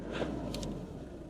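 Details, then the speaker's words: Cheap old Nissan Navara diesel pickup, 197,736 miles, just started: sounded a bit strange at first, then low steady diesel murmur at idle with no knocks or misses; sounds very sweet. "sounds quite sweet, that. Very sweet."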